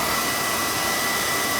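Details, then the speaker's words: Beckett oil burner that kept tripping its reset button, after service: boiler brushed, new pump coupling and nozzle. Steady, even flame roar with no pulsing or rumble; good oil flow, spark and draft; normal firing. "good oil flow good spark we're getting a good draft too now so it should be it hold that ride we're getting a good oil flow so I felt this should be fine"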